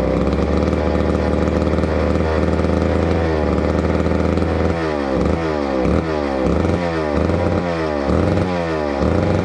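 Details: Neglected old McCulloch Super 250 two-stroke chainsaw revived: crisp steady buzz, then clean repeated throttle blips rising and falling smoothly; running healthy.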